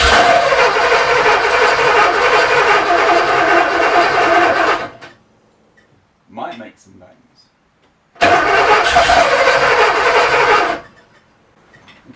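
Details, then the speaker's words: Porsche 928 first start after engine rebuild, before distributor adjustment: two bursts of ragged cranking and catching with pops and bangs, never settling; rough running, fuel smell, owner suspects distributor timing or too little fuel. "so it's not happy at the moment so but I can smell fuel so it's probably too far out like or maybe it's not quite enough fuel coming through"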